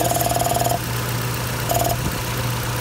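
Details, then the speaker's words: 2011 Ford Escape 2.5L four-cylinder with code P0456 (small EVAP leak): new purge valve installed at warm idle, vacuum line pulled for a finger and gauge test. Brief valve ticking, then quiet with no suction or hiss and the gauge reads zero. The valve seals properly. "more noise. It's not sucking my finger. Let's put the vacuum line back in, and my gauge is reading zero."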